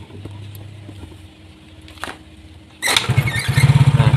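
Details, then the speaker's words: Yamaha Mio J fuel-injected scooter with a D03 IAPS intake-pressure error that starts but won't hold idle, even after the ISC was cleaned (dirty ISC plunger suspected): the starter whirrs, it catches briefly with an uneven stumbling beat, then dies. "jadi motor ini hidup nah tapi mati kawannya sekarang saya hidupkan kembali"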